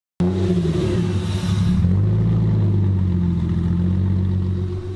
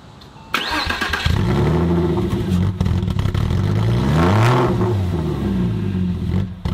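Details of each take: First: Porsche Boxster after repairs (mass airflow sensor code being addressed): the engine settles into a steady, even low idle on its own with no hunting or stumbling, and it sounds healthy. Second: 1998 Porsche Boxster after an engine swap, on a cold start: the revs swing up and down every couple of seconds and never settle, struggling to find idle.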